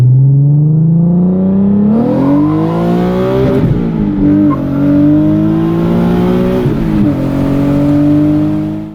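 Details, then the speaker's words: Nissan 370Z VQ V6 with a DIY custom exhaust tip and heat wrap, cold start after sitting about a week and a half: strong exhaust note, high fast idle, then smooth clean revs rising and falling, no knocks or misses. Healthy cold start. "I'm going to bless you guys with a nice VQ cold start."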